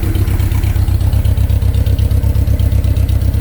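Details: Honda K20 four-cylinder swapped into a 1987 Pontiac Fiero GT, idling through the Fiero exhaust, smooth with a deep even low throb; throwout bearing quieter than before.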